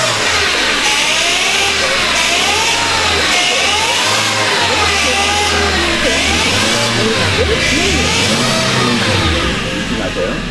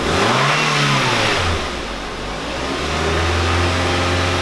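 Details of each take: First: Korean light car at first morning start, throttle blipped; wavering whine rising and falling with revs, worse with pedal pressed and easing when hot, first suspected power steering but traced to the automatic transmission with a clogged oil filter. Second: Korean light car (Kia Morning class) checked for a cold-morning first-start noise: engine revved to 2000–3000 rpm after cleaning the transmission oil filter screen and refilling transmission fluid. It settles into a steady hum with no whine, knock or grinding.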